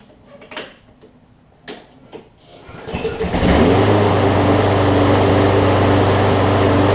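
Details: John Deere JA62 push mower, about 15 years old, Briggs OHV engine, after carb clean, warm restart: a few handling clatters, then catches at once and holds a steady run with only slight hunting; healthy, starts right back up.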